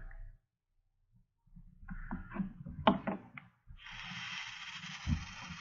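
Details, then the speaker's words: Vape mod in temperature control firing a near-empty tank with a dry wick: rattly, snake-like crackle and sputtering sizzle as it limits; stops once juice is added. "okay so you can see and hear that it's being limited right now hear that rattles snaky sound"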